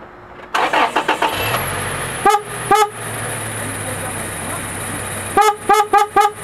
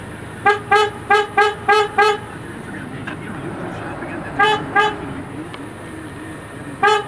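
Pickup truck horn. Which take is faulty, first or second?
second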